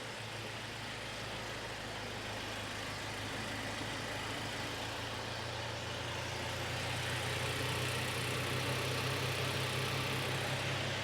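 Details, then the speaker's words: 2006 Toyota Tacoma 2TR engine first start after reassembly with fresh oil and coolant, oil pressure light off: steady, even idle with smooth low hum, no knocks or misses; normal idle, drawing coolant down. "sounds decent it's got coolant oh it's suck that coolant down going to go throw some more coolant in it"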